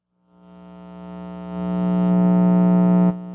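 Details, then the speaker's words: Homemade 2-watt parallel-triode Tweed Princeton tube amp on the bench into an external speaker: a loud, steady low buzz swells as the amp warms, then drops and holds. Mains hum persists despite star grounding, shielded wire and a grounded shield plate. "so that's pretty loud it's like two watts of hum"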